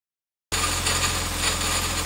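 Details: Nissan CA18DE engine, just bought, running: a thin metallic rattle rides steadily over the idle; its source is unidentified.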